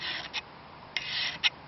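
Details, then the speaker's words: Hand-made knife blade being file-tested after heat treatment, on a spot that did not get red hot. The file bites and cuts raspily instead of skating as it does on hardened areas; that section of steel is not hardened. "So there, you can almost hear it cutting in. Up here, she just skates over it."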